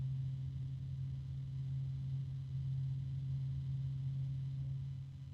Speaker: oh the bearing noise is going away I guess it finally distributed the oil that's better